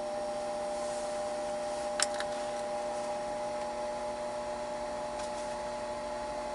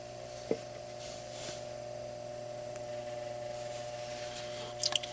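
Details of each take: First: Furnace booster circulator pump (Bell & Gossett LR20BF) right after oiling with motor oil (SAE 5W30 / Mobil 1), roughly five years overdue: quiet, even hum with faint clicks, low-frequency humming largely gone, some remains. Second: Bell & Gossett LR20BF booster circulator pump on natural gas furnace/boiler system, unoiled about 5 years (manual says every 6 months): steady low drone hum with buzzy edge and felt vibration at pump; dry pump bearings, fixed by adding about a tablespoon of 5W-30 oil.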